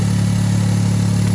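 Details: EF-DET turbo engine starting and idling smoothly with a steady hum, no stumbles or misfire, after the ignition coil was replaced for jerking under 0.5 boost; healthy idle.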